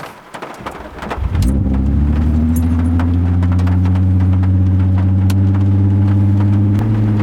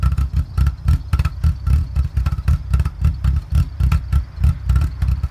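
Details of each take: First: Mk4 VW GTI VR6 after fix: starts and settles into a smooth even idle, no lope once warmed, rain in background; earlier surging idle and near-stalling caused by broken brake booster vacuum hose at check valve, now replaced. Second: Mk4 VW GTI VR6 idling with a deep, uneven lope surging about twice a second, nearly stalling; vacuum leak from a broken brake booster hose at the check valve, fixed by replacing it with an OEM hose.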